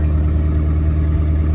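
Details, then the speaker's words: 1977 Winnebago Chieftain motorhome, turbocharged big-block 440 V8 on a base tune: deep steady even rumble with strong low pulse, no knocks or misses; normal idle. "But, uh guys, let's listen to this. This This is starting to sound pretty good."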